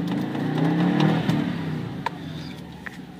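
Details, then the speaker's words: Subaru WRX with manual gearbox and custom downpipe, driving with the clutch pedal fully released: engine revs climb and hang freely, then sag, and the car barely moves. The smoked clutch is slipping and not grabbing. "yeah that revving that clutch is all the way released right there and it uh it's just not grabbing at"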